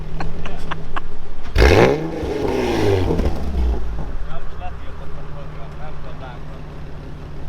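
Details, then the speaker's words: Nissan 370Z with cat-less exhaust and resonators previously torn out: sharp rev burst with crackle dies to even idle and won't rise again, engine refusing throttle after a while; cause unclear, tune may need rewriting. "Egy idő után letilt, vagy mi? Aha, nem engedi pörget, nem ad gázt egyáltalán."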